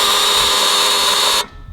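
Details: Blown, stroked LS in a Holden VY one-tonner ute during tuning, fuel pressure problems: loud, high-pitched steady electric buzz from the fuel pressure regulator, then cuts off abruptly; cause not yet known, pump later found not running.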